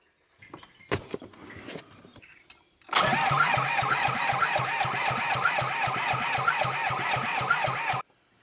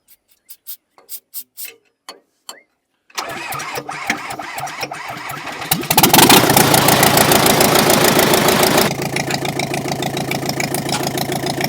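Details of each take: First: Small Komatsu dozer diesel, just after the head was refitted with the fuel pump confirmed working: steady cranking at about four compressions a second for about five seconds, never catching; it cranks but won't fire. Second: Komatsu dozer diesel after valve work: scattered clicks, a few seconds of cranking, then a strong, even diesel clatter settling to a steady idle; it starts and runs fine.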